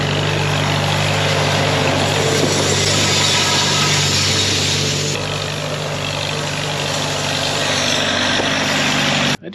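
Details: 1939 Farmall H engine after a tune-up for a missing, rough-running condition; steady, even low beat with no misses or stumbles and a smooth idle, now running cleanly on all cylinders.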